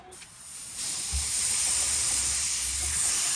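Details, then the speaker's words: New 36,000 BTU mini-split heat pump install, refrigerant line caps removed: a steady bright hiss swells and holds as the leftover nitrogen escapes, showing the lines have no holes. "Which is a good sign. That means that it was uh there's no holes. So, we'll let that nitrogen drain out of there."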